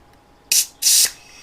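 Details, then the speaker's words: Suzuki GS450 scrambler leak-down test at 100 psi after re-torquing under-spec head bolts: two short, soft high air hisses heard at the oil dipstick, faint and even; gauge nearly dead-on, rings sealing, no significant leakage. "and just as before I can hear it just within the engine you can hear it you know it like in your oil dipstick and that's almost dead-on no significant leakage there"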